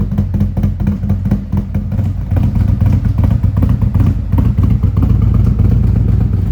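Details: Warm-up idle on a 2017 Harley-Davidson Ultra Limited 107 with a newly installed Thundermax EFI and Bassani exhaust, during the second auto-tune idle run as it nears 180 degrees. Steady, lumpy, even V-twin beat with no knocks or rattles; sounds healthy.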